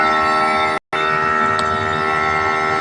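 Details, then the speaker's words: TCL 1.5 hp aircon outdoor unit, nearly 3 years old, with E0 error and outdoor unit shutting off, poor installation: loud steady hum with many even tones, running forced and abnormally noisy while still cooling; cause not pinned down. "Napansin natin, persado yung takbo. Ayan. Yung ingay niya, abnormal."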